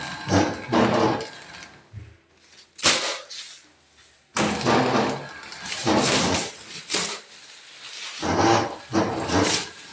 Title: This paper towels bad bearings 😬